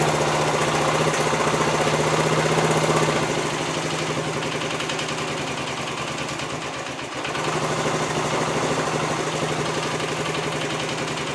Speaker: yeah that looks good that sounds good right there for 50 years old